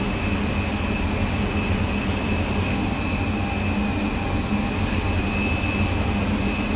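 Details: Goodman furnace, no-heat call traced to a bad gas regulator valve and faulty thermostat; blower runs a replacement motor fitted two years earlier. Steady, even whoosh with low constant hum, no knocking or scraping: healthy blower operation.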